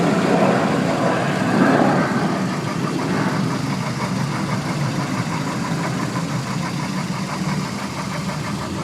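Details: Toyota Echo 1.3 VVTi at idle: faint, somewhat irregular tapping at about four per second; a mystery engine noise, cause unknown.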